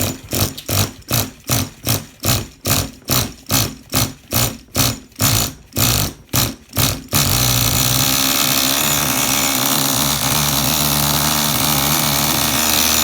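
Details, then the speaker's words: Small nitro engine in a Tamiya TGS-R after repair: brief pulses, then a steady high buzz whose idle does not change between on and off throttle, a clean single idle. "Do you hear how the idle does not change when I go from on the throttle to off the throttle?"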